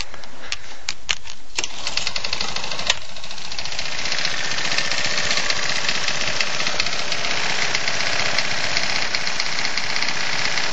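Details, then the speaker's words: Champion lawn mower with a Tecumseh Advantage 3.5 hp engine, reportedly never had an oil change, knocking badly: loud irregular metallic knock over harsh clatter. Rod knock is suspected. "powered by a techy advantage or Tey Advantage 35 but 3.5 horsepower and um it's knocking quite badly I'll just uh show you hang on"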